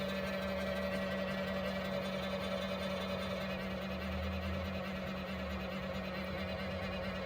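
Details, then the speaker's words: 3D printer that resets to standby mid-print: at power-on the fan kicks in with a steady whirring and a rough scraping edge, not quite bad bearings; fan suspected faulty, needs disassembly. "powers on and here the fan kick on there and this whirring sound probably coming from the family so it looks like I'm going to disassemble the whole damn thing again and see what the hell is going on with the fan because that sound is not good"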